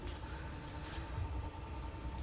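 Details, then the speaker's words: Electric scooter after a difficult repair other shops couldn't fix, now running at 25 under throttle: a quiet, steady low hum with a faint, even whine that holds pitch; the hub motor runs normally. "Mana yerda gazni bosyapti, 25 ketyapti, motor ishlayapti."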